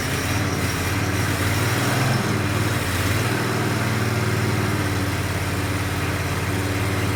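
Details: Countax ride-on tractor engine first start after revival, exhaust refitted, a bit of choke: quiet steady idle with even low beat, no knocks or rattles; healthy, sweet-sounding engine.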